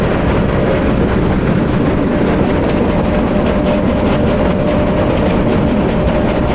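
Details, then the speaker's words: Powerscreen PT330 jaw crusher running before toggle plate replacement; the toggle plate is badly worn and the crusher won't run right. Jaws set to about 70mm, feeding a 105 scalper. Heavy continuous rumbling and rattling with a steady drone. Noisy jaws. "Right, so I'll just show you the crusher working at the moment. We're going to do the work on shortly. Noisy the jaws are, yeah?"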